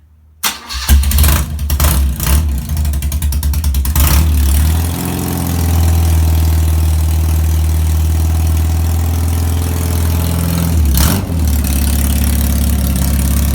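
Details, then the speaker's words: BMW R80 boxer twin cafe racer, first start with the exhaust silencer cans removed: barks into life, then settles into a loud, deep, blatty idle with no silencing; far too noisy for the road. "yeah yeah now that's a little bit too noisy for the road a little bit too noisy"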